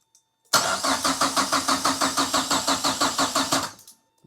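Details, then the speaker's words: 1930s Ford Model Y with a turbocharged Mazda MX-5 engine swap and standalone ECU, after a top-end rebuild and an overnight battery charge: the starter cranks briskly for three seconds but it never fires, and no fuel pump priming buzz is heard. "I can't hear the fuel pump buzzing up."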